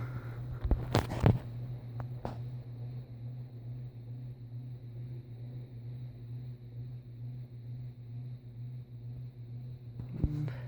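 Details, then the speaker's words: Hampton Bay/SMC 52-inch hugger ceiling fan, large motor, running on medium after high: low steady hum with a faint buzzy edge under soft running; motor buzz, cause unknown, nose cap also loose. "there you go makes a bit of a buzzing noise"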